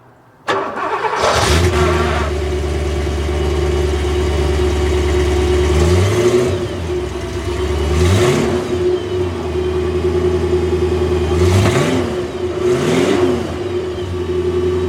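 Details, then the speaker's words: Rough, under-maintained Porsche 928 V8 (ex-Texas car) starting: starter catches quickly into a deep even burble, clean throttle blips returning to steady idle; good oil pressure, healthy V8. "so let's see what this thing sounds like shall we big burbly V8"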